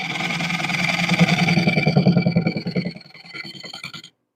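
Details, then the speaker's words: Wood lathe turning a bowl from unprocessed tree wood: steady hum with rhythmic knocking about three a second as the carbide gouge still hits the uneven, out-of-round blank. "and we know that we're still hitting that, and that's that bang, bang, bang, bang, bang part."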